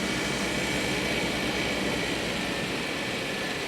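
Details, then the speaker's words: 1994 Mercedes E500 cold idle at about 30 degrees in Chicago after reassembly: quiet, even rumble under some hiss, no stumbling or misfire. "there she goes. Sounds good. Everything works."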